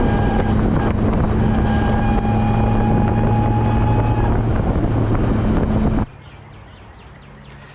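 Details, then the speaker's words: BMW E34 540 with ZF 5-speed manual, driven after a clutch job with a resurfaced dual-mass flywheel: loud steady high whine under load over road and wind noise, fading off load. Gearbox damaged from running without fluid; stethoscope places the noise inside the transmission. "yeah so uh i'm not thrilled um it is clearly the no fluid has clearly taken its toll on this transmission uh it's it's fried it"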